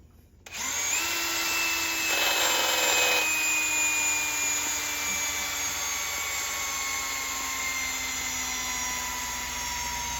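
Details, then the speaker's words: Cordless drill boring out a broken turbo exhaust stud on a Caterpillar turbo diesel (48 Ocean Yacht) in hard steel: high whine starting strong then sagging in pitch as motor slows under load; battery dying. "you hear that that battery's going"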